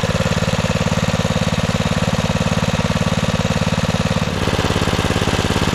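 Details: 1997 Craftsman II 30" rear-engine riding mower, 13.5 hp Tecumseh engine, mowing test run: steady, even single-cylinder thump around three per second, no misses or knocks; carb running great, super smooth and quiet. Normal running.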